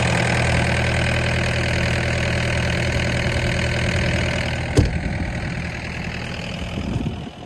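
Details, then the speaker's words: DX63 six-and-a-half-ton digger diesel finally started after persistent no-start trouble, with an AdBlue fault returning: steady, even idle with smooth low rumble, no knocks or misses, then winds down cleanly. "got it going am I glad to hear that engine going"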